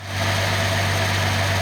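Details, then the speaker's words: Nissan L28ET six at idle after new manifold gasket fixed misfire; much smoother, steady low hum with no dropped beats, firing cleanly on all cylinders. "Okay. Much smoother running. It's the idle."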